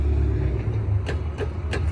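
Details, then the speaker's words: 1987 Mazda FC RX7 with LS V8 swap and ProCharger supercharger driving down the road; deep engine and road rumble with short metallic rattles about three times a second from the exhaust. "you can just hear that crap rattling going down the road so [Music] annoying can't bear it anymore"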